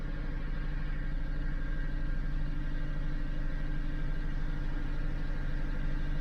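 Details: 2012 Dodge Avenger in limp mode, check engine and lightning-bolt lights on, RPM limited, throttle body under test: low, slightly lumpy idle pulsing about three beats a second; unsteady idle, cause not yet confirmed.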